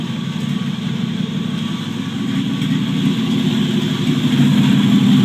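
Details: 1949 Chevrolet Deluxe 4-door, first start after swapping in a replacement engine for the locked-up original; no exhaust fitted. Loud, raw but even idle with a steady beat about four per second and open-pipe bark; generator working, engine runs healthy.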